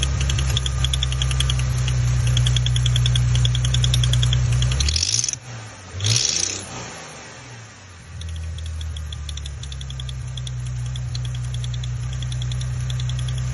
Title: Maserati Ghibli 2018 Ticking noise